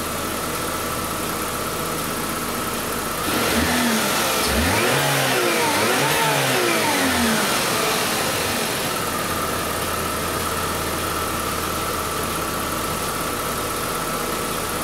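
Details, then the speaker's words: 2011 Buick Regal 2.0 turbo with several fault codes and a suspected aftermarket mass airflow sensor: smooth idle, then a quick clean free rev, not enough to build boost, that climbs and falls back evenly with no knock or miss; healthy free rev. "we give it a little bit of a red up turn up"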